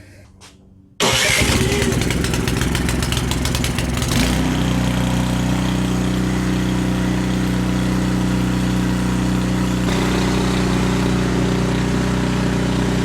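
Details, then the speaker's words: Canadiana snowblower with Briggs & Stratton 800 series engine, after the carb jet was bored one size bigger to cure lean surging, started on closed choke: cranks, catches, revs briefly, then runs steady and even with no surging; fix worked, normal running. "So I just choked it out to get it to stop. So that fix seemed to work."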